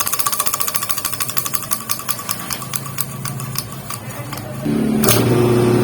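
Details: Mindong 3HP electric motor that only hummed and would not start, after replacing the blown 60µF 450V capacitor and clearing thread tangled in the centrifugal switch: tapping fades, then catches cleanly into a steady even hum; normal start.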